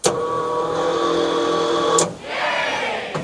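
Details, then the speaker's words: 1972 Chevrolet Chevelle, sat 5 years, electric fuel pump wired directly from battery positive through a switch: a steady mid-pitched electric hum for two seconds, then a softer whir, so the pump runs normally. "we got power we got a pump running all right"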